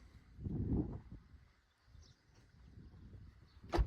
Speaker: And look at that. Quiet as can be again. So compared to our before that we had to our after, quiet as can be.